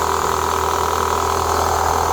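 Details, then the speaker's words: 2004 Renault Clio 182 petrol, first start after years; fast light chatter on top of engine at idle and tiny rev, bottom end judged fine; worn dephaser pulley and cambelt idler suspected. "give it a tiny Rev that don't sound too bad I mean if it was like big ends crank anything like that it would be a lot more rally that sounds all right to me there's something up the top here"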